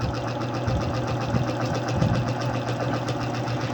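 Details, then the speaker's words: Yamaha Mio Soul i 125 scooter, leaking shock, started on one click: even idle with light quick ticking over a steady putter; a small noise heard but engine judged healthy with no problem. "May narinig lang ako dito na unting ingay, pero sa makina niya walang problema makina to guys. Hinog ko makina nito."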